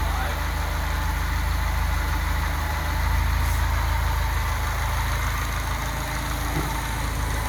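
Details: Datsun 510 now running on all four cylinders after fuel injector testing, with the idle not yet calibrated: a steady, even low idle with a smooth beat and no misses or stumbles. Normal idle.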